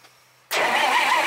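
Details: 1951 Dodge flathead six, unstarted for 32 years, with new plugs, plug wires and ignition coil; the starter spins it over steadily with a whirring rush but no cylinder fires. Timing suspected, not confirmed.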